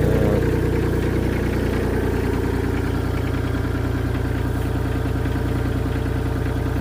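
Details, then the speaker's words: V1000 mini skid steer diesel on its first start after repair with a new ignition switch, started after preheat: a deep, even idle with a steady low thrum and no knocks or misses. The finding is normal idle. "Look at that. Beauty. All right, let's see if this thing moves."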